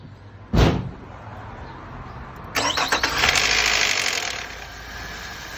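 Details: 2002 Nissan Altima that ran rough, after new spark plugs and clean gasoline: a thump, a short crank, then a clean catch into an even idle with no misfire or hesitation; owner believes long running low on fuel was a cause.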